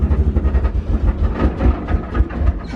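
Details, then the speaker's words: Left-hand-drive Nissan S14 180SX with Haltech ECU, engine running rough with fouled, fuel-soaked plugs; low, lumpy, uneven lawnmower-like chugging with beats dropping out irregularly, a misfire from fouled spark plugs. "It is running like shit. It does have fueled up plugs. So it sounds like a lawnmower at the moment."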